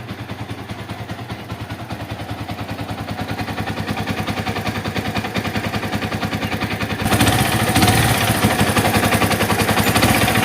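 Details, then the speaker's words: Yamaha Vixion-series motorcycle engine: hard, rapid knock, about 214 a minute and rising with revs, heard clearest low in the block mid-engine toward crankcase; worn connecting rod big-end bearing on crankshaft. "Tapi kalau kalian dengar lebih teliti lagi, maka yang akan terdengar lebih jelasnya itu di bagian bawah blok, artinya di bagian tengah mesin. Itu terdengar bunyi kletek-kleteknya atau kelotok-kelotoknya lah gitu ya."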